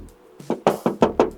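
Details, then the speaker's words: Tapping the body panels of a used project car checking for past accident repair: six crisp, ringing knocks about a fifth of a second apart, bright and solid; original metal panel, no filler. "So ni bunyi besi. Dengar ni. Ni bunyi besi. Ni bunyi simen. Ni bunyi besi. Ni bunyi besi."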